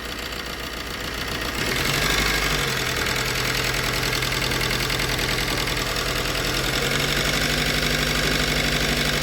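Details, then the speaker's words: 2007 Maruti Swift engine, about 4 lakh km, idling after a timing chain and broken camshaft repair: uneven, stumbling beat with a rough shake and a slight miss. "Engine में है थोड़ी सी कमी महसूस हो रही है हाँ।"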